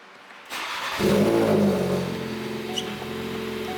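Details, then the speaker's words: Ford Focus RS in neutral, fuse F56 (20 A) pulled to relieve fuel pressure before aux injection install: engine catches and idles, then sags and roughens as fuel runs out; stalling from fuel starvation. "And according to them, it says let it run until it starts to choke. And it just dies. And it died."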